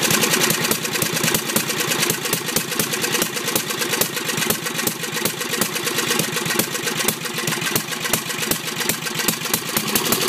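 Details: Briggs 10hp, governor reconnected and working: fast hard firing stays at high revs with choke off, won't drop to idle; carburetor suspected worn or way out of adjustment, not confirmed.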